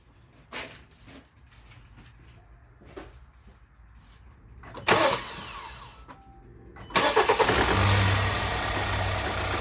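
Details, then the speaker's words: 2017 Hyundai Santa Fe Sport 2.4 with code P0301, after spark plug number two was cleaned and refitted: clicks, then it cranks, catches and idles with an uneven, stumbling misfire; the coil shows popping, pointing to a failing plug. "Still misfiring. I'm gonna pull the coil up and see if it's if I hear popping."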